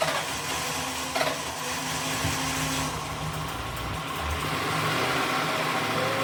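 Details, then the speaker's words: Cab-swapped 2003 Grand Marquis (Crown Vic) engine, not run for three years, fresh gas, belt off: catches and holds a steady idle with light revving, no knock or misfire; running normally. "Yeah. I should have actually just left that on there, but it's running again."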